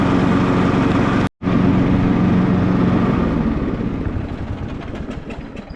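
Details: Cub Cadet LT42 XT1 riding mower, key turned to R reverse mode with button pressed, blade engaged in reverse; steady even engine drone with low pulsing beat, no misses or knocks, running normally.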